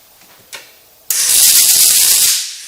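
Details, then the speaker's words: Riland MIG 2000T welder with percentage turned all the way up: about a second of harsh, rushed hiss and crackle instead of a smooth sizzle; wire feed speed too fast. "okay and the wire is going way too fast let's bring it"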